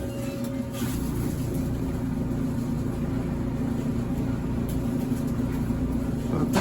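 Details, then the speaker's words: GE front-load dryer after temporary felt fix for bad vibration and noise: even, steady low rumble with faint hum and no knocking or scraping; drum turns smoothly, repair kit still to be ordered. "probably just need one of those kids seems to be in a lot better shape now but that's what it sounds like"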